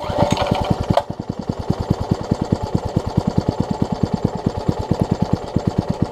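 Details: Troy-Bilt Tuffy rear-tine tiller being reassembled. The carburetor diaphragm's orientation was in question; fuel is drawn up but not held. The single cylinder putters at about eight chuffs a second, lumpy and not holding speed: fuel starvation, fuel pickup also suspected.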